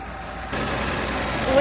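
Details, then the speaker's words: Six-cylinder Dodge Dart sitting since 1992, alternator removed, possibly running hot: low, even idle hum like a sewing machine, no misses or knocks; normal idle. "it is like a sewing machine it is it is like a sewing machine that's unbelievable"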